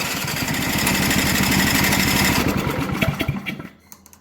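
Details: Briggs & Stratton Brute snowblower with electric start, previously wouldn't start; owner thought water or ice had got down the side; after drying out and checking spark plug and carburetor, small single-cylinder fires up with quick even putter, ~four beats/s, then shuts down; runs fine now.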